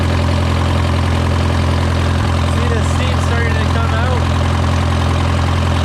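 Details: Case VAC tractor idling after a new aftermarket water pump was fitted for overheating after a coolant change; coolant flowing, gauge around 35–40°C, its normal 40. Low, even, smooth rumble with no knocks, ticks or squeals; healthy.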